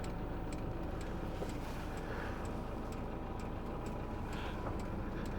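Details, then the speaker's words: Chinese diesel night heater in a camper van during start-up: steady light ticking about twice a second over a low rumble as the fuel pump begins injecting diesel, temperature rising and noise growing; normal. "it is now started to inject some Diesel and burn it so as you can see the temperature's going higher and it'll get louder and louder as it injects more and more"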